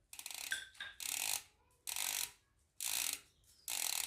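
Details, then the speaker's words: Hope Pro 4 rear hub after freehub service, with grease left on the pawls; crisp, fast, even ratchet clicking in short bursts as the wheel spins, the pawls engaging properly as they should. "that's the noise that you want to hear. So now one issue is sorted."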